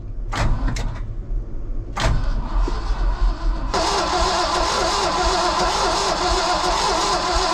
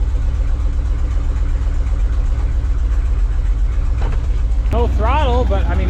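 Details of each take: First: International V345 dump truck engine, 13,000 miles shown, sat about 22 years: short bursts then long steady crank at good even speed that never fires; possible dead cylinder suspected, dry where fuel was checked, fuel pump suspected not working. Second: Ford dump truck bought at auction for parts-unseen revival, fuel added after repairs: starts in half a crank with good oil pressure, steady low rumble at idle with even firing, no knocks or misses.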